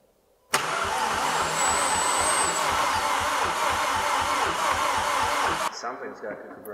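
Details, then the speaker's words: Freshly rebuilt 2.0T TSI engine in a VW MK6 GTI cranked on a jump box to circulate oil; steady, even compression pulses, no firing, compression sounds good. A fuel pump later proved bad. "sounds like it's got compression"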